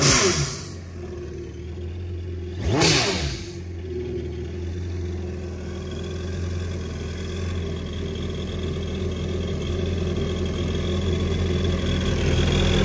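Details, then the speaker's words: 2019 Yamaha GP1800R supercharged 1.8L WaveRunner, 135 hours, after installing the newer supercharger clutch: a deep, even idle with two quick revs and a faint supercharger gear whir. Runs smooth and healthy. "So there you have it. You can actually hear the supercharger turning now, all the gears in there."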